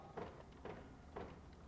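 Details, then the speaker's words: 2004 Honda Accord door lock actuator diagnosis: with the front left actuator connector unplugged, pressing the window-switch lock button gives sharp, even paired clunks about every half second as the other doors' actuators lock and unlock normally. "can hear it locking and unlocking the other doors"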